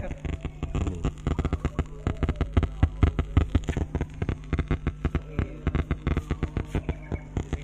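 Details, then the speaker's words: Large ADRM audio sound system with two 15-inch speakers, idle with no music: rapid irregular crackles and pops like light rain from the speakers; amplifier or speaker crackle, source not found. "itu kok ada suara keretek-kertek kayak hujan apa itu gak tahuok Mas suaranya kayak hujan Lur"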